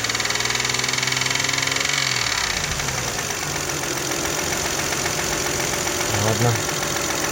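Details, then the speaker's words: Toyota 1MZ-FE V6, knock appeared at first start after spark plugs, injector seals and throttle body cleaning; revs then settles to idle with faint regular tapping underneath, seemingly left and rear; no cylinder damage seen by camera, cause unclear. "Ну, вот так когда тихо, кажется, слева где-то. Слева и сзади, что ли."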